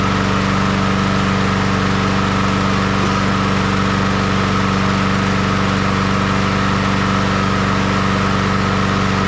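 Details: Honda HRR216 push mower revived after sitting disassembled for a long time, started with choke, oil in and fuel on: loud steady single-cylinder buzz at constant speed, even firing, no surging or misses; normal running.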